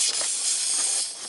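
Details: Big truck dashboard: constant, sharp, high-pitched hiss where the air line enters the fitting on the air cylinder, before the line is trimmed and pushed back in, which stopped the leak.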